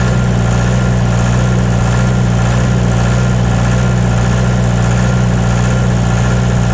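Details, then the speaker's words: John Deere 2030 diesel tractor, cold and not yet warmed up, idling right after reinstalling the overhauled and calibrated Stanadyne/Roosa Master injection pump: a deep, heavy, steady drone with no misses or knocks, no blue smoke, burning clean; normal idle. "burning clean it's cold out here today and there's no blue smoke coming out and it hasn't warmed up at all so if it'll do that when it's cold she'll run very very efficiently"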